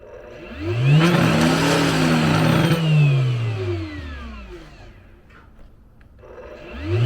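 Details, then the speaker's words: Router running on high: whine spins up and down twice with rough wobbly rattle at speed; bit loose in collet, found loose on checking. "I think the bits just moving in the collet. Let me see. I don't think I messed nothing up. I think it just um collard ain't tight."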